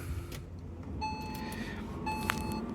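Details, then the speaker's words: Maxus LDV EV80 electric van that had failed to start, suspected 12V battery drain, starting after a few days of driving, with a busy dual carriageway nearby: two short runs of high beeps, a normal ready chime on start. "And this van is now starting just fine, of course."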